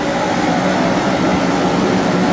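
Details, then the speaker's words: Serviced torpedo forced-air heater, thermostat set to 70°, just fired up: steady, even roar of fan and burner without pulsing or sputter; running properly, though air gauge reads low. "Everything seems to be working the way it's supposed to."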